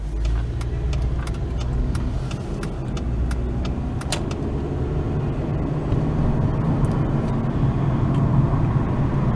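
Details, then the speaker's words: Dodge Avenger driving after replacing the right (passenger-side) hub assembly: even tyre and road rumble with a few light rattles as speed builds, no growl or hum; hub noise fixed, road noise only. "As you can hear, no road noise. I mean, no wheel hub noise. So I finally fixed the wheel hub."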